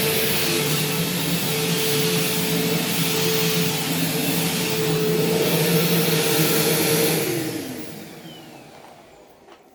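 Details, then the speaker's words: Bissell CleanView Swivel Pet bypass vacuum: loud, steady high roar and constant hum winding down smoothly at switch-off; loud but working normally. "this thing does work and it has cleaned pretty well but it's very loud and it doesn't seem loud in like a defective sense it actually does seem like it's fully working these are just loud machines"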